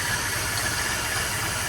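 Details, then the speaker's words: Ford BF XR6 (Barra) just restarted after a thermostat housing leak repair: an uneven, lumpy idle with a wavering low thrum and a hissy top end, because the MAP sensor and throttle body connectors were left unplugged. "And the leak has stopped. but we've got a rough idle. Oh, map sensor's not plugged in. The throttle body's not plugged in."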